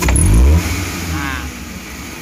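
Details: Futura 1.5 (1500 cc) car after the fault is traced to its spark plugs alone: a quick rev from about 900 rpm idle rises sharply and falls back cleanly with no stumble, hesitation or vibration; snap acceleration normal.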